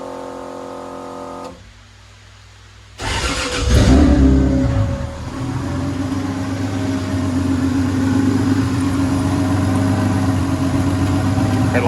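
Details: Corolla drift car just after engine reinstall, first start before heat cycles: cranks, catches with a quick flare, settles into steady, even idle with no knocks or ticks; looks and sounds very good.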